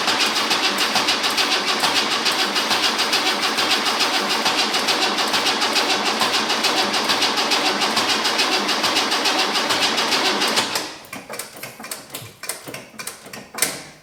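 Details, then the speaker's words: VK Commodore, factory carbureted black top 202, cleaned rusty tank, first start attempt, battery seeming low on voltage: fuel now reaching the filter and bowl; starter cranks evenly about two turns a second for ten seconds, not firing yet. "Plenty of fuel there. Not leaking anything yet. That sounds like fuel. All right, now it just needs to fire."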